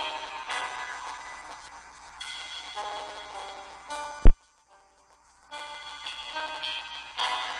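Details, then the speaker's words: HTC One S speaker playing Max Payne game music: loud pop/crackle, cuts out about a second, then resumes; owner suspects broken speaker or software issue, not heard on Galaxy S2. "It sounds like when you have a broken speaker. You see it stops sometimes. Starts back up."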